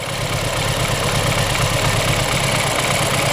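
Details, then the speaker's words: BMW F30 328i with the N20 engine, running with the oil cap cracked open. Cylinder 2 has no compression from cylinder wall damage. Rough, uneven misfiring idle with a loud hissing rush of massive crankcase blow-by. "you wanna see how much blow by this engine is drawing because of the compression leak see that that's a massive blow by and this is cows because we have a compression"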